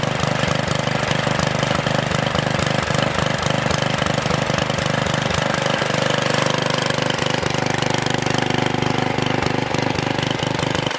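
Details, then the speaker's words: Troy-Bilt Super Bronco tiller, bought locked up, possibly stuck reels, now repaired with exhaust warm: small single-cylinder thumping at a steady, even beat about 214 a minute with no stumbles; normal running. "so you guys have it the troy-bilt super Bronco is up and running"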